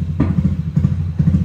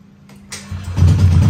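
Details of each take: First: Bored-up automatic scooter on a BRT Juken 5++ ECU, ignition dwell set to zero at about 1500 rpm: uneven low idle with popping thumps every half second, as the spark doesn't fire and unburnt fuel explodes. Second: Automatic scooter, bored-up engine with BRT Juken 5++ ECU, starting: short slightly strained crank (starter/ACG struggles against fairly high compression) catches quickly into steady, even idle with low regular beat; normal start.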